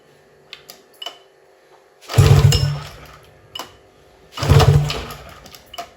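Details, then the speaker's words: Scrapyard 2006 Tohatsu 30hp two-stroke outboard (serial suggests 25hp), compression test on bottom cylinder by pull-start, top read 140-145 psi: two hard pulls, each a quick even burst of compression strokes that fades; healthy compression. "anything it's easier with electric start usually get higher readings but full start you should be able to get close enough enough if you pull it hard enough"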